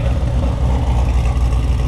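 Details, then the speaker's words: Built V8 in a car after flashing a revised tune, before its first drive: deep, loping, choppy idle, well settled and steady; normal lopey cammed idle. "Loping good with this revision."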